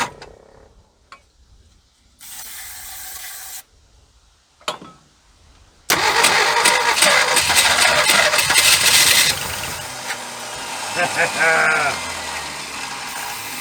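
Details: 1976 Ford F150 abandoned 30+ years, spark restored, carb cleaner sprayed in: starter cranking bursts then ragged uneven firing that catches and sputters without settling; wants to start.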